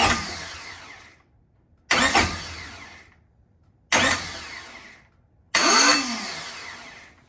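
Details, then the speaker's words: Honda Civic (B-series build), stock flywheel refitted after a lightweight one was removed over suspect ring-gear teeth: four short starter bursts about two seconds apart, each cutting off abruptly; starter engages intermittently, same fault as before, so the flywheel was not the cause. "All right, guys, so I don't know what's going on, but it just did exactly what it was doing before. So now I'm 100% convinced that it wasn't the flywheel."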